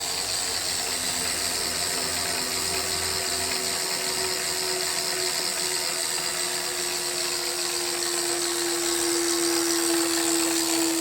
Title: Hammer 1 whirring clicking sound